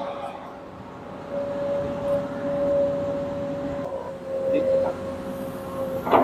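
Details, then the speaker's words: Komatsu PC200 excavator during pre-operation check (P2H), revs raised and lock released to test function: steady mid-pitched hum holding at raised revs with a few light clanks; hydraulics operating normally, unit judged safe to operate. "Setelah kita mencek keseluruhan bagian alatnya, ternyata sudah aman dan sekarang kita siap mengoperasikannya."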